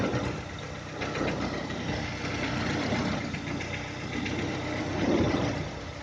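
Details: 2010 VW Touran 1.6 BSE warming after two days parked: uneven light tapping over a low wavering idle as revs sag below 1000, stopping above 1000 and when warm; seems left side. Rebuilt just over 15,000 ago: new pistons, valves, hydraulic lifters, bored block; cause unconfirmed.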